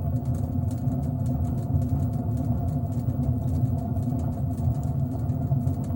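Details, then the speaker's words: LG washing machine with drum spinning at 400 rpm: steady deep rumble with a rough rustling edge from a worn drum bearing; louder at higher drum speeds. "когда вас будет изношен подшипник то при вращении барабана будет вот такой вот звук надеюсь микрофон передаст"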